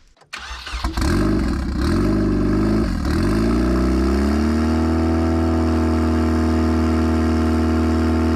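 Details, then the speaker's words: 1996 Nissan 200SX SE-R turbo, sat outside over winter: starter drags the engine slowly and unevenly, then a steady whir with no catch; owner first blamed a weak battery, but after charging it suspects a loose positive battery connection. "Well, that battery is definitely unhappy, so I'll either swap it out or put it on a charger and we'll reconvene in just a minute."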